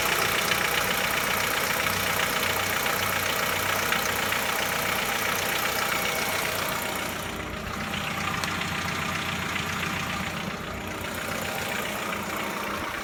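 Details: Chevrolet Lacetti 1.6, cold idle: regular rapid knock about three to four a second; engine knocks when cold and is barely audible when warm, cause not found.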